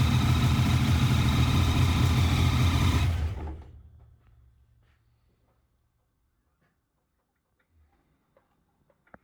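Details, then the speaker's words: Supercharged engine, boost-reference carbs just plumbed, idles lumpy and uneven at about three and a half pulses a second, then shuts off. A nick in it, possible miss; the cause is unconfirmed. "that normal to you? Got a bit of a nick in it. Missing or something not?"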